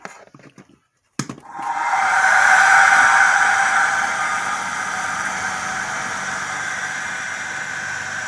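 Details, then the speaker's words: Blower fan salvaged from a Hunter heater, rewired and cleaned, first power-up: click then steady whirring hum with a faint regular wobble; slight imbalance, and owner thinks the motor could use oiling. "huh well it's working sounds like it sure could be coined and oil though"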